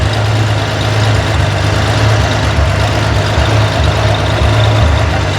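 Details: Corvair engine on a run stand, valve adjustment at idle: steady even low idle with no ticking or clatter; valve lash correct, engine sounds healthy.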